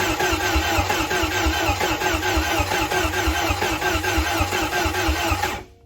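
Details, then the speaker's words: Bayliner boat's Mercruiser engine, first start after a head gasket job: steady rhythmic cranking at about one beat per second, never catching, then stopping; it cranks but will not fire because the spark plug leads were on backwards. "Oh, it doesn't do that. What'd you do? Wrong plug? Parts plug? Yeah, spark plugs are on backwards."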